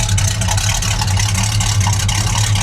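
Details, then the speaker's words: Original survivor Dodge Dart Swinger 340: deep even V8 burble with a steady low pulse and no ticks or misses; sounds healthy. Normal idle. "e bra boy she sounds healthy listen to"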